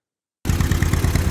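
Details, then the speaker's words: John Deere M two-cylinder tractor, year unknown, cylinder number two misfiring about 90% of the time with an occasional pop: deep chuffing with uneven pulses and a missing beat; spark present and swapping plugs changed nothing. "we got one cylinder number two is misfiring 90% of the time every now and then you get a pop out of it"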